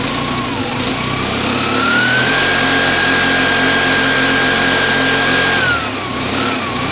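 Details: Piaggio Fly 125 scooter after carburetor swap: single-cylinder revs in a flat, strained buzz that plateaus and won't climb freely; sounds choked, short on top end, owner suspects valves, belt/crank drag or air box.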